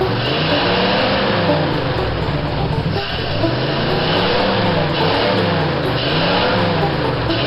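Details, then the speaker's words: 1955 Ford driving after the carburetor was cleaned, a new inline fuel filter fitted and the glass bowl cleaned: the engine pulls through rising and falling revs without stumbling or cutting out, though not wound up fully; it was still slightly rough, and the points are suspected. "okay let's take it for a spin thank you I didn't hear her cut out I can't really wind her up because"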